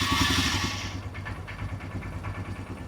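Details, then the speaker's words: Royal Enfield Himalayan after timing chain tensioner check and work with original parts, just started: even, steady single-cylinder idle thump, quiet top end, no tapping or rattle; normal idle. "നല്ല silent ആണ് വണ്ടി വേറെ യാതൊരുവിധ അലപ്പ് സൗണ്ടുകൾ ഒന്നുമില്ല"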